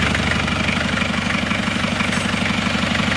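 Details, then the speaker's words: Mitsubishi Panther diesel, warm at 81 °C after a 4 km drive, after fixing a coolant leak and fitting a thermostat: even, smooth diesel clatter at steady idle, exhaust smoke thinner than before; normal warm idle. "suara mesinnya halus buka tutup Isan Uli asapnya ini lebih tipis daripada kemarin ya"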